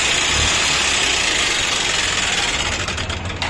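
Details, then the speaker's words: Hero CBZ Xtreme single-cylinder motorcycle at idle: uneven, ragged running that cuts out and struggles to stay running; piston believed about 90% seized, with piston and valve replacement planned. "तो इधर तो इसका sound सुनिए दोस्तों इसका sound बहुत ही खराब है कट कट कर बैठे"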